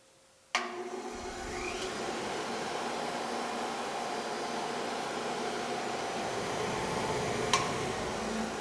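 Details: Robust Nelswell bench grinder made by J&D, origin unknown, with fabricated heavy iron rests: sharp switch-on, then a quiet steady hum with a light uneven click about four times a second; click source unclear.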